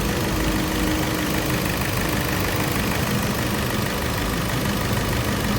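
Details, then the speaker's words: Hyundai Santa Fe petrol after timing chain work with crank and cam timing marks aligned, engine noise complaint; steady even idle hum with no knocking or chain rattle: normal idle after repair. "देखिए sound बिलकुल हो गया है perfect."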